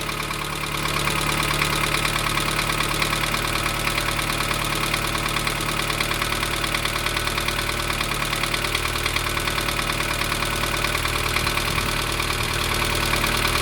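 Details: 1987 Dacia 1310 four-cylinder, cold start after two days, choke a quarter out: light steady knocking tapping at idle, unchanged after bearing change; owner says it fades as the engine warms; source unknown.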